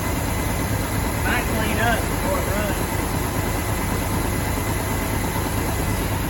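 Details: 1969 Mach 1 Mustang, apparently a 302 V8, sat almost 10 years, newly started: steady, even idle rumble with no knocking or misses; a bottom-end knock appeared only later.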